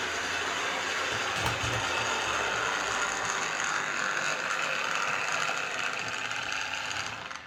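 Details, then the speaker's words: Hornby R041 GWR Class 57xx Pannier tank model loco on the layout, running smoothly with no hesitation over points; steady, loud high-pitched whirring buzz: rear motor bearing replacement considered. "but it is way too loud so there's two things i can try i can try replacing the rear bearing if i've got any left"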